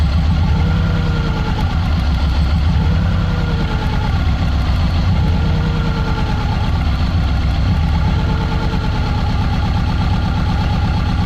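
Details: Subaru EJ20 flat-four at idle during coil check; lumpy, uneven low beat with occasional stumbles instead of smooth hum; misfire suspected, cause not confirmed.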